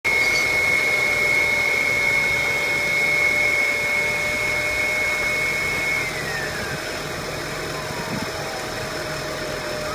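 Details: 2003 VW Passat 1.8T at idle: an unsteady pulsing beat under a thin high whine that drops away midway, a rough idle.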